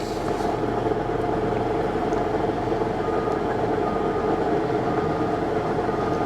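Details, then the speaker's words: Salvage non-runner, push-start, idling in park: loud coarse mechanical drone and rattle, seemingly from transmission, goes away when put in gear; cause not pinned down, possibly misassembled. "It runs. Oh boy. That doesn't sound good. No, that doesn't sound good at all, does it?"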